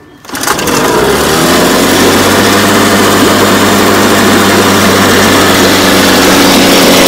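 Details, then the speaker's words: 1967 Evinrude 3 hp (model 3706C, 50-55 compression, spark on both sides) in a test barrel at full throttle. It catches and runs rough and buzzy only on full choke and dies unchoked, pointing to a dirty, clogged carburetor. Weak water flow suggests a poor impeller. "So you can see it runs fully choked, which means that the butterfly is closing off the air, causing more suction vacuum for the fuel."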